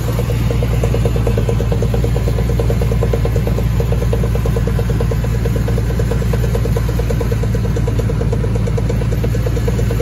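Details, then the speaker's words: 2002 Chevy Silverado 1500 4x4 on a lift, in neutral: rapid steady clicking, three to four a second, over a low engine drone, first suspected from transfer case; worn driveshaft U-joint clicking. "back in neutral um uh all right there we go there it is bad you joint"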